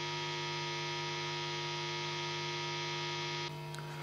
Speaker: Let's check now how my system causes Ground Loop to appear on two other amplifiers, which also I use it for recordings.